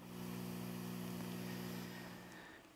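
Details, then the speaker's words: Steady low mains hum with evenly stacked tones, never wavering, from a mixer into a Yamaha DBR10 powered speaker via RCA cable; ground loop noise got even louder with this cable. "e para minha surpresa o ruído até aumentou é o um ruído constante que vem da mesa para cá né"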